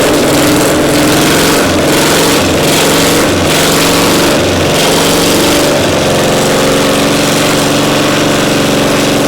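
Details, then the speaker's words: Caterpillar Diesel 70 pony motor during a startup attempt: it chugs with a steady beat, but the note dips and surges unevenly before settling. The rhythm sounds off; timing suspected a tick behind. Uneven running, unconfirmed. "To the untrained ear, it sounds like success. But to two cold iron cardiac surgeons, something's off. The rhythm isn't right."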